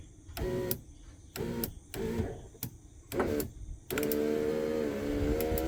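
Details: 1997 Jeep Cherokee XJ driver's door after new power window motor, regulator and switch: short separate motor runs then steady smooth hum, glass moving evenly without grinding.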